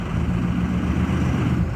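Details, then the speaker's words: 2006 Ford F250 Super Duty 6.0 Power Stroke diesel in gear bogging down, then revved; deep uneven labouring sound sagging toward stall, running rough; cause unconfirmed. "bogging down okay one more rev up you can see how rough it's running"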